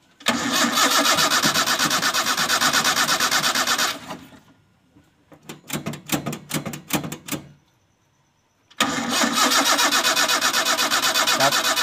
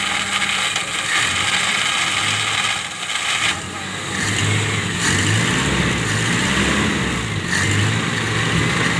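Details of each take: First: Toyota Kijang gives two cranking bursts at about three beats a second with a short stutter, never catching. Spark is confirmed at the coil wire and fuel is present, but it cranks with no start and the cause is still being traced. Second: Toyota Kijang carburetted petrol engine that would not start, running again after ignition fault found (burnt coil): steady, even idle with smooth low beat, no misses; normal idle.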